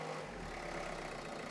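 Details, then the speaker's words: 2012 Renault Scenic 3, 1.5 dCi K9K diesel, idling after fuel filter change, priming, bleeding and a couple of minutes at fast idle: quiet, steady idle with even low hum, no misses or hunting; normal idle. "And now she should idle just fine. Perfect."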